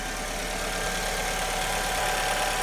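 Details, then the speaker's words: 2002 Alfa Romeo 147 2.0 Twin Spark four-cylinder after replacing an internally intermittent ignition coil (valves tested fine): steady, even idle with a smooth low hum, no skips, "purring like a kitten"; normal idle. "Okay, there we go. Purring like a kitten."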